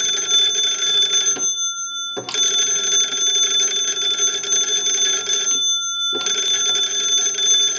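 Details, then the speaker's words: Wooden wall 317A crank telephone after repair and conversion (keypad added in the battery box), final checkout: the magneto is cranked and the bells ring brightly in bursts of about a second and a half, working properly. "okay now what we want to do is crank the magneto and ring the bells"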